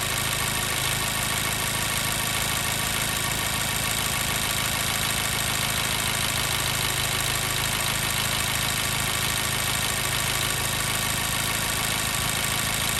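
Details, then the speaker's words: 2014 Mazda 3 2.0L, warm idle after about 8–9 minutes running, P0302 cylinder 2 misfire: uneven stumbling beat with a regular skip in the exhaust pulse; earlier cold test showed no dead cylinders. "All right, we're really starting to hear that miss. Vehicle's been running about 8, might be coming up on 9 minutes now."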